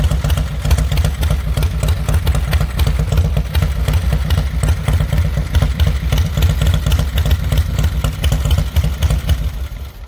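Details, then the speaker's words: Fat Boy motorcycle with a low, uneven, stumbling idle and clatter on top. The rider attributes this to the kill switch bouncing off the case. "That's why I was idling weird. The kill switch is bouncing off of the case."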